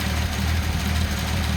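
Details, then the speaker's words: Datsun 280ZX turbo, engine idling with mixture adjusted to max lean: low idle with slightly uneven, lumpy beat instead of a smooth hum; rough idle from lean mixture. "i'll put it back to max lean and you hear it you know runs a little rougher"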